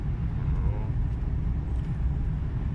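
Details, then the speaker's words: BMW F10/F07 5 Series on a road test after suspension parts were replaced for a knock heard over small potholes: only a low, even road rumble over rough patches, with no clunks or knocks; the suspension sounds normal. "раз как на вибростенда вот всякие стуков нет"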